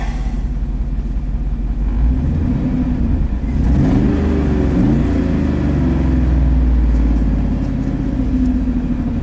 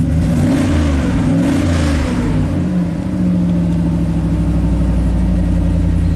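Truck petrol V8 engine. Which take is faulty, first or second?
first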